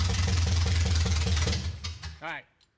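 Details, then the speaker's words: Abandoned 1970 Oldsmobile Cutlass V8, first fire-up after sitting about 15 years, timing set by hand: loud, lumpy V8 beat fires evenly for a moment then fades; runs, timing sounds in the ballpark, no obvious knock or miss. "It runs. This thing runs. I don't know if the cam is fresh, but like fired up, it runs. It sounds like the timing is in the ballpark."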